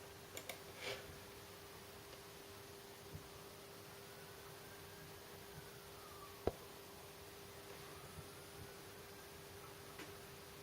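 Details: LG E2260S LED monitor, recorded from the rear, gives a faint, steady mid-pitched electrical buzz with a few soft clicks.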